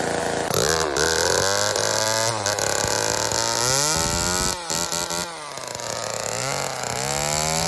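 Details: Old Homelite chainsaw, owner guesses 1960s or 70s, cutting wood after reassembly: high snarling two-stroke revs up, bogs into the cut and climbs back out, pulling cleanly; running well, owner says it could be tuned better.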